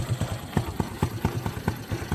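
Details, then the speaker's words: 1986 Honda FourTrax 200SX ATV, original engine, nearly 30 years old, pull-started with a little throttle: steady single-cylinder thump about four beats a second, evenly spaced, no misses; idles nicely, though owner suspects the governor was going out. "But yeah, it runs pretty good. Idle's nice. Haven't really had any problems with anything with the engine."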